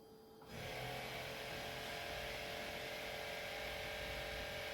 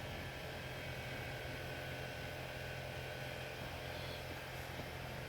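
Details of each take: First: Mercedes E280 Airmatic compressor raising the car at 9.8 bar while the right rear strut is tested. A steady, even motor drone that starts abruptly; pressure later drops to 6.59 bar, a suspected leak. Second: Mercedes E280 Airmatic after replacing the driver's front air bag unit: faint steady electric hum from the compressor, even and unbroken for ten seconds, as the car probably levels back to its original ride height; compressor running normally.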